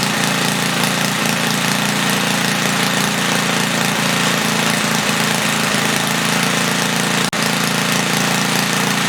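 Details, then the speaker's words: 1976 Tilly rototiller, 3 hp Briggs & Stratton, after cleaning the points and leaning the main jet, set to 3400 rpm with no load: steady fast run with slight flutter and no misses; runs well. "i set the rpm at 3400 it's a little fluttery but uh it's also not under load it runs pretty good i'm happy with that"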